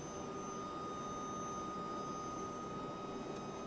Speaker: The PWM frequency is 1kHz. That means power to the motor will be pulsed in at 1kHz and that's within hearing range. You'll need a better H bridge circuit to get rid of it.